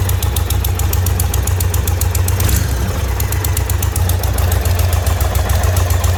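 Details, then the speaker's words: 2020 Indian Roadmaster 116 V-twin, 11,000 miles, ticking grew louder during a ride: a sharp, light tick about four times a second over the lumpy idle, heard at the front header pipe where it meets the cylinder. Owner suspects a blown donut gasket. "all right hopefully the audio turned out and you can hear it but it sounds like the uh front header pipe where it goes into the jug i don't know if it blew a donut gasket"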